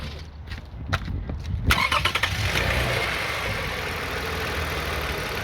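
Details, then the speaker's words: 2009 Toyota Sienna minivan: engine cranks, catches, then idles with a steady buzzy rattle around 1,000 rpm from the transmission area; suspected torque converter, transmission pump, or flex plate and bolts, unconfirmed. "I could remove and inspect the uh flex plate between the engine and the transmission because there's a rattling noise when the car is on 1,00 RPM or so."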